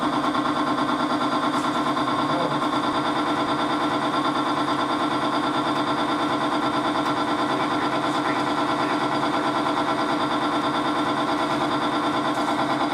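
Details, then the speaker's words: Timken bearing test rig under 5 lb load lubricated with Modern Spartan Systems Accuracy oil; even steady hum with soft pulse near two per second, no screeching, no heat afterward, unlike competing lubricants that smoked and failed. "first we'll perform the same test with 5 lbs you can immediately hear the difference there is no screeching and no"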